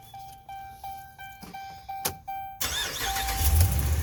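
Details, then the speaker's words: Chrysler/Dodge Ram 1500 with a crank-but-no-start fault traced to the TIPM fuel pump relay. The pump was run by a jumper wire to build pressure; clicks are followed by the engine catching and settling into a steady low rumble, a normal start. "yes all right that was long enough to wake the fuel pump up"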